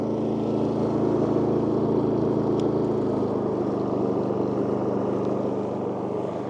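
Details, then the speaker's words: WEN 4800 W dual-fuel generator (DF480iX), on propane, eco mode on with no load: idled down to a lower, softer, steady, even hum, slightly quieter; normal eco-mode idle. "Okay, and now that it's idled down, so it is a little bit quieter."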